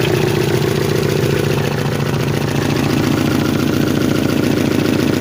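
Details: 1992 Chevrolet Chevette at a rough idle with a fast, fairly regular tapping about three or four times a second; the owner is asking where the engine knock comes from, and its source is unconfirmed.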